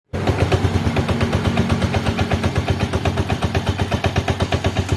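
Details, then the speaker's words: Yamaha Jupiter Z1 injection motorcycle: loud regular knocking about three times a second from the clutch housing under load, and the bike creeps forward when shifted into first gear. "jadi suaranya seperti itu teman-teman ketika dikasih beban maka di bagian bak kopling itu terdengar suara kelotok-klotok"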